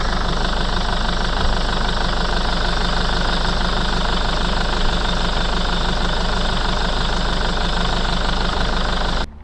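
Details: Mercedes Sprinter 311 CDI diesel idling. A rapid, fairly even puffing tick, about 200 a minute, sits over the clatter as spray shows compression escaping at one injector (black death). Leaking injector seal washer.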